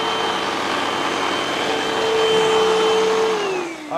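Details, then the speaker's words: Hoover UH7103 vacuum after clearing clogs in the hose and lower section: strong, steady motor whine with an even airflow rush, then a smooth spin-down at switch-off; runs freely with no restriction. "Yeah. Sounds a lot better than it did before. Should be no restriction."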